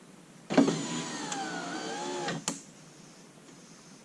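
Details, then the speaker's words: Lincoln Town Car rear power window motor, bench-run off a battery with heavier-gauge wire after it had first popped as if stuck; a steady two-second whir ends in a clean stop thud, running fine though upward travel is a little slow. "Okay. That seems fine. Now, up is a little slow. Not terrible."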